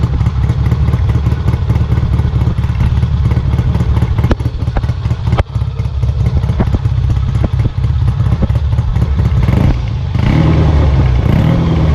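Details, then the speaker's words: Kawasaki W1 twin, after carb idle adjustment attempts: thumps unevenly and stumbles now and then, never settling into a clean idle; owner suspects an air leak or a fuel delivery problem, pilot jet passage clear. "okay well it appears this car has to come off again um somewhere it's got some kind of leak air leak or it's not getting fuel properly"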